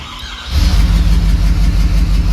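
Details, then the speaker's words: 6.7 diesel cranking with cylinder 3 glow plug removed: heavy, lopsided starter rhythm with one lighter beat; compression loss in that cylinder, engine coming out. "The change is so dramatic on the RPMs because the cylinder is so down that it won't even let you do it. Let's look. There you go. And you can hear the compression loss cranking it over, and we've already pulled the glow plug"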